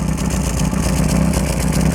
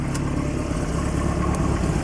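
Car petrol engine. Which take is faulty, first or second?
first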